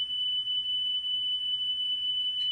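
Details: Car stereo cassette deck after drive motor repair and speed adjustment: a clean, steady high test tone near three kilohertz holds dead even with no wavering; the tape runs at correct playback speed.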